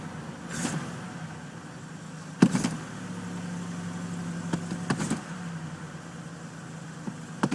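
A low, steady hum of an engine idling cold, even and unbroken apart from clicks and door knocks nearby; it runs smoothly.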